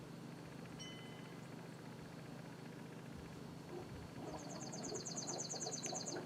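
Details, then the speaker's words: Craftsman lawnmower after clearing an air block in the fuel line and refilling it with gas: a steady, even low hum from the small engine with no surging or sputtering; running normally. "Okay, now that sounds more like it."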